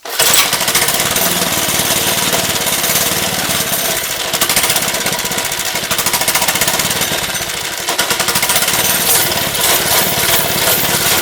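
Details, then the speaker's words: Lifan 2.5 hp single-cylinder go-kart engine with cleaned original carburetor, choke now off: loud chatter wavering and surging; running rough but better, owner suspects old gas left in, carburetor also leaking fuel. "still not running quite right but running better so we'll keep working on it might just need to be run a little bit"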